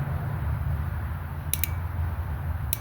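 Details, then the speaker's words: Old fuel injector from a 2001 Mazda 626 2.5L, removed and bench-tested with 12 volts applied; crisp, sharp clicks over a quiet hum as the injector opens properly when powered, unlike a bad replacement injector that stays silent. "Hopefully you can hear that clicking."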